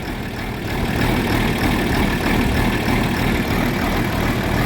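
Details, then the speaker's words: John Deere 4430 tractor diesel after replacing a fuel filter with a cracked, leaking housing: steady, even idle with a low rumble, no misses or knocks, running smooth and healthy; normal idle. "it really runs 10 times better than the 7140 when you change the fuel filter on that it wouldn't even stay running"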